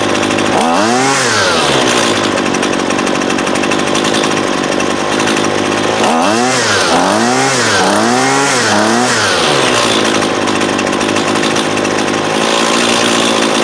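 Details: Husqvarna 128LD 28cc two-stroke trimmer, warmed up, after low-side carb adjustment (previously wouldn't idle even with choke open): idles evenly, blips to high revs cleanly and drops back smoothly; running great.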